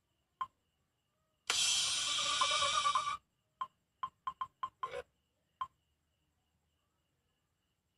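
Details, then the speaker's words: Redmi 4A after fitting a new power IC: a few taps, then a loud, clean burst from the loudspeaker with no crackle or rattle. It seems louder than the day before; the buzzer works normally. "Suara dan getar. Sepertinya lebih kuat dari yang kemarin."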